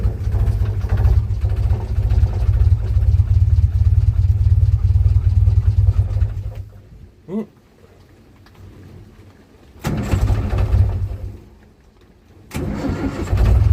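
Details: 1947 Austin 16, off the road since 2008, rebuilt fuel pump, fuel in carburetor, choke on: steady low cranking churn about six seconds then short bursts with pauses; turns over but never catches.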